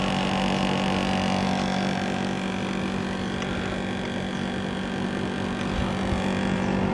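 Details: National CU-915KH 1.0-ton mini-split outdoor unit (1990s, Matsushita, Japan) on the roof tiles, noisy since September 2012: constant loud droning hum with a steady low tone and rough buzzing; heavy vibration noise, cause unconfirmed.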